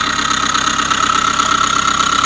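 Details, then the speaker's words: 2005 Subaru Forester 2.5 SOHC boxer, incorrect earlier timing belt job: steady high-pitched whistle over even idle, located inside timing belt cover; timing belt tensioner or idler pulley bearing suspected, later knocking developed. "And there it is. It's inside the timing belt cover. So, what they tell you, the timing belt tensioner or an idler pulley or something inside of there is making all this noise."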